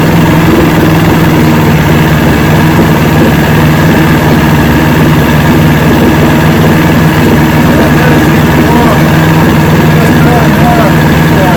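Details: 1970 Evinrude 85hp two-stroke outboard, hydro-electric shift, about 50 years old, new water pump impeller, run in a water container after shift tests: loud even burble, smooth unchanging beat; carburetors judged good at idle, full throttle still untested.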